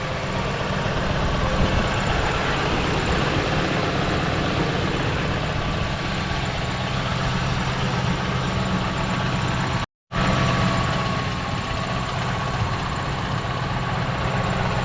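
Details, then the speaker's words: 1998 Ford Mustang GT 4.6 V8 manual, stock except air intake, idling in neutral: steady whirring rattle over the engine that stops when the clutch is pressed; throwout or pilot bearing suspected, not confirmed. "Again, that noise that you hear is the throwout bearing or the pilot bearing, one of the two, not sure yet. So you can hear it definitely goes away once you press on the clutch."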